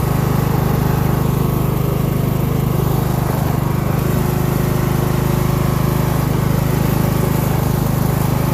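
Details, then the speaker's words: Craftsman LT1000 lawn tractor mud-mower build, engine running and burning off oil and probably water: steady, even single-cylinder drone at a low, lazy pace, estimated around 2000–2500 rpm instead of the expected 3500; cause unknown. "so if you can hear it i don't believe the engine is running at the highest rpm if it's supposed to run at like 3 500 it's probably running around 2 000 2500"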